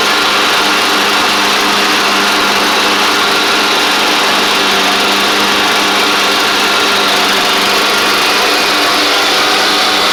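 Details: Craftsman DYT4000 riding mower after repair, running while driving: steady small-engine drone with constant pitch, no knocks or misses; charging the battery, drives and blades work; running smoothly.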